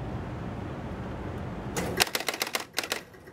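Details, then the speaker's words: 1975 Gottlieb Spirit of 76 four-player electromechanical pinball, recorded at the back of the machine: low hum at power-on, then a quick burst of about eight sharp relay clicks as the player unit steps during normal startup. "see how the player unit advance now I'm going to go hit the credit button"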